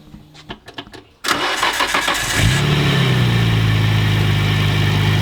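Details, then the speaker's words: 1989 Nissan R32 GT-R RB26 after compression test and new spark plugs, cold start: brief crank, catches cleanly into a smooth steady idle with no misfire; running good, left to warm up. "she's running good nice and smooth right now going to let her warm up"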